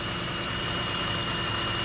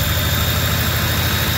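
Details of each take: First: 2010 Ford F-150 idling with a steady thin high whistle over a quiet idle, from a loose serpentine belt due to a weak tensioner spring. The idler pulleys turn by hand. It chirps and squeals mostly on morning startups and seems okay warm. A new tensioner is about to be fitted. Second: Ford F-150 after an idler pulley replacement, the old spring having relaxed and left no belt tension, likely causing a startup squeal: smooth, steady low idle with an even hum and no squeal or chirp from the belt. Runs quiet after the fix.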